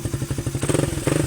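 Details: Suzuki Raider 150 Fi that suddenly would not start with no error code, running during a charging test: quick, even single-cylinder putter with a brief rev; charging is fine, and the battery needs replacing.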